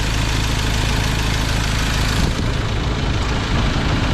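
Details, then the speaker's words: 2021 Ford Ranger 2.2 diesel after replacing the drive belt, tensioner, idler bearing, clutch fan, glow plug and coolant: loud, steady idle with even clatter and no squeal or chirp; the tensioner and belt are now quiet where they were noisy before. "So tahimik na yung under niya mga boss no. Hindi na siya maingay yung tensioner niya at yung belt."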